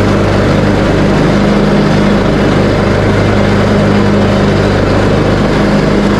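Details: Craftsman T130 riding mower after repair (replaced fuse, new ignition switch panel), started on choke, cutting end-of-season grass with blades engaged, deck set high: steady, even engine drone holding constant speed under load, no misses, knocks or surging; runs healthy.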